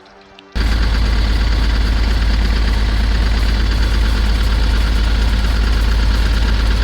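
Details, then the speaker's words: 2010 Ford Transit welfare van, previously seized (suspected hydrolock) and fitted with a new starter, very smoky and smelly: the diesel starts into a rough, uneven idle with a loose knocking beat. Failed turbo, running poorly. "it doesn't sound good but it's running"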